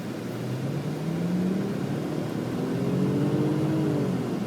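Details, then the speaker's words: 2000 Audi S4 twin-turbo quattro, nearly 300 hp: smooth rising engine note as revs climb under load, no knocks, misses or rattles; very healthy engine, very smooth idle, all-wheel drive working well. "Very healthy engine. All-wheel drive works excellently. We have a very smooth idle."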